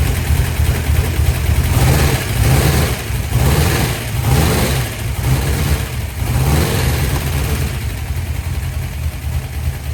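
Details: 1972 Dodge D100 V8, first start after solid roller cam and Speedmaster 265cc head swap, timing likely not yet set. Surging and stumbling unevenly at fast idle, loping irregularly: rough running; owner says more adjustments needed.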